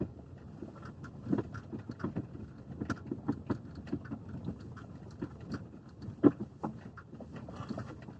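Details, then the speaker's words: Lada XRAY Cross driving slowly after a dealer visit about the electric power steering mount: irregular dull knocks over quiet road noise, new since the dealer work. Cause: the dealer did not replace the bolt on the splined steering shaft joint, which was loose. "в итоге они не заменили болт крепления реки не рейки а штока со шлицами которого они мне его поменялись а"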